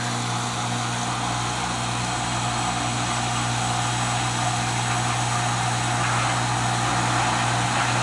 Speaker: Now there's the motor right there. It's running. I guess that's the pump. Is that right? But normally when you do this, it would be filling it up with water.